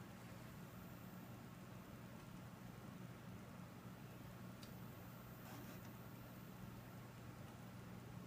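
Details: Dell Precision T7500 dual Xeon workstation just after power-on: steady even low fan whoosh with soft hum, no rattles or ticking; normal, quiet fan noise.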